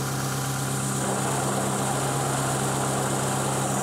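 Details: 2020 John Deere ProGator idling before repair: a constant low hum and faint whirring as the clutch is pushed in and let out. The transmission input shaft bearing is going out and was then replaced.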